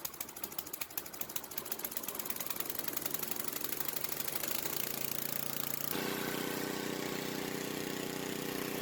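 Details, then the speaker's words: Old Ariens snowblower (model 910995, Tecumseh H60-75361J engine), after carburetor rebuild fixing choke-only running and carb fuel leak: small single-cylinder engine runs steady and even with a quick regular beat, no misses; healthy. "Oh, that's a great running little snowblower, man. And of course, these old Ariens are just the best."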